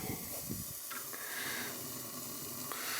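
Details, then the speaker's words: Old gas boiler red-tagged by the gas company for a leaking gas valve: the pilot gives a steady loud hiss and roar like a blowtorch, an oversized pilot flame that needs adjusting down at the adjustment screw above the pilot. "well i'm gonna have to adjust the pilot down yeah she's a flipping blow torch"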